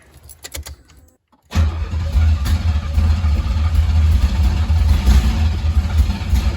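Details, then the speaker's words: 1987 Pontiac Fiero SE 2.8L V6, automatic, after installing a belt slip eliminator alternator pulley to cure belt slip: V6 catches and runs steadily with no belt squeal and voltage rises quickly; the number six cylinder manifold still lacks bolts. Normal start and idle. "fire up little girl well the alternator went right up sounds like a race car"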